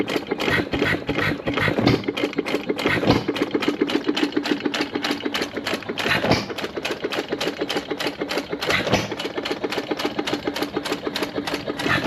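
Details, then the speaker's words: Sattley hit-and-miss gas engine after Wico EK magneto repair and cleaned spark plug wire contacts: crisp, evenly spaced ticks and firing pops about three a second over light clatter; running steady and healthy. "but now it's sitting there running nice I'm going to let it sit here and run for probably half hour or so before I go home"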